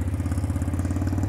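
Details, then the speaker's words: Chinese X-PRO 125cc Amazon sportbike at first start-up on choke after a kinked fuel line was found, idling lumpily on one cylinder with a loose buzzing rattle on each pulse; something is vibrating, source unclear. "that doesn't sound half bad though well it sounds half bad doesn't sound more than 3/4 but something's vibrating"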